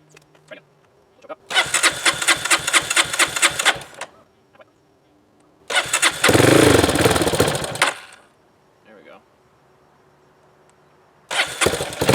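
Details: Honda CRF230F, carbureted, sat a year on untreated pump gas with a lithium-ion battery, choke on and fuel on reserve: rapid regular cranking, then it catches and revs strongly before dropping off; it starts on the old fuel.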